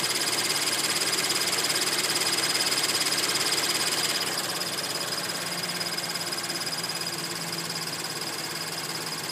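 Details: Scion FR-S with a quick, regular high-pitched chirp about three times a second from under the hood while the engine runs.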